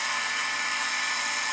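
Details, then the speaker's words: 1950s Norelco 7860 Philishave electric shaver (rated 12 W) running unloaded at about 65 mA; steady high hissy buzz with even pitch and no hum, motor running smoothly. "plugger in you can hear it takeoff like it's a lawnmower or something it's when it runs it makes a very"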